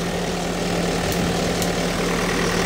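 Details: 2012 Toyota Fortuner diesel after fixing crank-no-start (died on road; suspected faulty accessory taps at ECM wiring) and clearing codes: steady, even idle with smooth low hum, no knocks or misses; normal idle.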